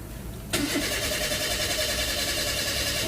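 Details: Toyota Avanza 1.5 G with codes P1604 (startability malfunction) and U0167: steady fast starter churning for nearly three seconds with no catch; cranks but won't start.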